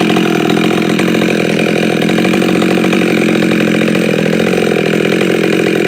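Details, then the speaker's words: Husqvarna 572 chainsaw with popup piston, no base gasket, muffler mod, 28-inch bar, ~182 psi, still breaking in; steady high-pitched clean note, slightly rich from tuning at about 25 degrees, running normally. "actually it's running pretty good now it turns a little bit fat because I had it tuned for about 25 degrees so"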